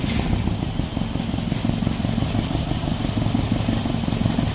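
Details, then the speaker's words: Datsun running on distributor after two coil-on-plug coils failed. Uneven, stumbling rough idle with irregular pops out the intake manifold. Owner suspects timing is off; moving plug wires or injectors in software made no change. "all right but you see that pop out of that intake manifold man I don't know oh why see that a so that tells me that it's it's off time"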